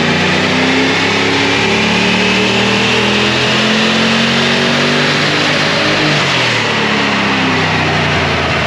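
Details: LS V8-swapped GQ Nissan Patrol with 6L80e transmission and NGK Iridium plugs, dyno pulls heard from the exhaust at the rear: as revs climb under load the note roughens and stumbles, engine breaking up with a misfire; cause not confirmed.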